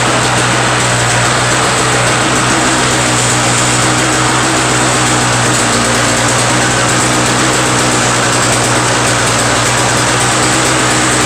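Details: Two-stroke Toro snow blower after carburetor cleaned of a restricted jet: loud constant high buzz at steady speed, no surging, sputtering or dropouts; owner suspects plugged jet was the no-start cause, now starts first pull and runs smoothly.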